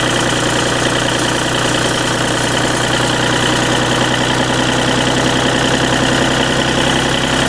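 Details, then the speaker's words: Deutz diesel engine driving a Lima generator, first start-up after repair with timing pins: quiet running as speed is brought up toward about 1,800 rpm; steady even drone with no miss or surging. Normal running. "Pretty quiet. I'm going to bring the RPM up till uh what I think about 1,800 is"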